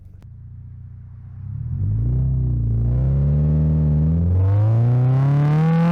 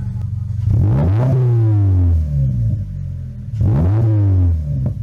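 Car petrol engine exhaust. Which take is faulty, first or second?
second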